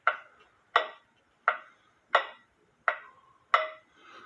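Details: Eli Terry groaner clock with wooden movement running on the stand for about 8 hours, beat amplifier clipped to the wood; crisp, evenly spaced ticks about every three-quarters of a second, steady healthy beat, though it might still need slight adjustment.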